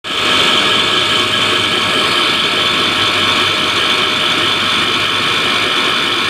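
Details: KES-55 screw compressor air end running: steady loud operation with harsh hiss and fixed high whine over everything; abnormal air end noise, sounds rough and unhealthy.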